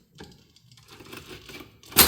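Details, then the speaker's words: IHC H4 magneto taken off a parts Farmall MD, cleaned and overhauled for a TD-6 crawler, turned by hand on a spark tester; light ticking, then a sharp snap as the stiff impulse coupling releases: normal, with strong blue-white spark. "This is pretty stiff. The impulse is pretty stiff, but I am getting spark there."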